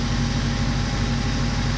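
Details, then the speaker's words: Toyota TA22 Celica 4AGE, first start after ultrasonic-cleaning injectors (old fuel had it dropping to two or three cylinders), fuel pressure still building: uneven, lumpy idle with irregular low exhaust thump, missing on at least one cylinder; misfire at idle. "yeah it definitely doesn't sound happy let's see if it evens out a bit"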